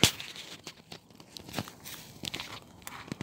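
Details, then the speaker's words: Wilesco steam roller steaming up from cold boiler, solid fuel tablets just lit in burner: scattered soft crackles and pops at irregular intervals; normal solid fuel burner popping. "but as you can hear the popping is the fire popping away"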